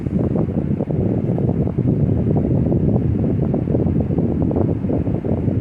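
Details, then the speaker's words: Lasko 18-inch remote-control stand fan, 5-bladed, assembled from various Lasko parts, on speed 2 (medium): loud but smooth rapid whooshing, pleasant chopper-like blade pulse, no rattle or rub; normal running. "But the sound is not very annoying. It's actually very pleasant to hear. It has like a chopper sound to it if you ask me, compared to the newer blade sets."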